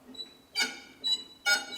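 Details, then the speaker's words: Tractor jacked up on blocks, raised wheel turned with handbrake on: scratchy high squeal repeating about twice a second; brake shoes felt rubbing, brakes hard with no travel, linkage or shoes suspected. "at the moment this wheel is off the ground, so you can hear the squeak, but that's because the handbrake's on."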